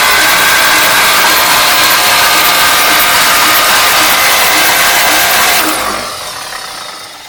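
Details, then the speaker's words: 1953 Oldsmobile Rocket Super 88 barn-find engine, valve covers off, spark plugs removed, turned by the starter: fast, even whirring crank at about 220 beats a minute with no compression pulses, then winding down; engine turns freely with plugs out. "I have the spark plugs out of it so we can turn it over just a little bit faster than we could before obviously it's not as fast as when it's running"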